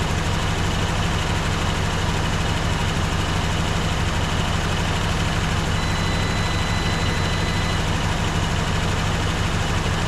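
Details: 1954 Dodge Coronet V8 (Hemi/Poly), stored 42 years, now warm, freshly refilled with coolant: steady low idle pulsing about three beats a second, even and smooth, no ticking; healthy engine.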